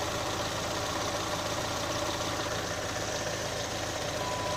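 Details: Chevrolet Onix LT 1.0 2018, owned under three months: steady idle with fast, uneven light ticking over the hum; abnormal top-end noise, owner suspects known intake valve/lock defect, unconfirmed.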